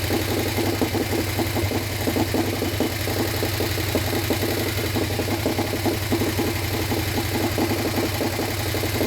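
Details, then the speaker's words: Harley Sportster 1200 swap engine, long stored outside and water-filled, first run without rebuild: loping V-twin idle with light quick top-end ticking on each beat, expected to clean up. "I think it sounds good. Even with the the tick, it was like it hit. I think it'll clean up."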